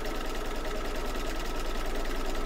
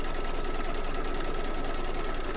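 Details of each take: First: Embroidery machine stitching in an 8x8 hoop with gummy, sticky marks: fast, even stitching clatter with a faint thin squeak as the hoop drags on residue; owner wiped it down, expects it to work itself out. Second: Embroidery machine in an 8x8 hoop: fast, even stitching rhythm with a steady whir and no squeak or catch; runs smoothly.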